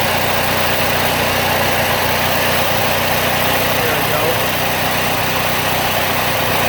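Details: Bolens AJ Foyt 3014H lawn tractor with a Briggs & Stratton 14HP opposed twin, running after a solenoid replacement and rewiring with safety switches bypassed: steady, even idle with a constant drone and no knocks, misses or surges. Normal idle.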